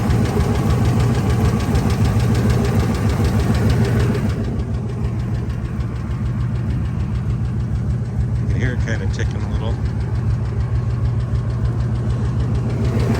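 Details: Ford F250 V10 after new headers and injectors, EGR not fixed: steady idle with a light, fast top-end tick about three a second, much quieter than before; owner suspects a lash adjuster/lifter or rocker arm, not confirmed.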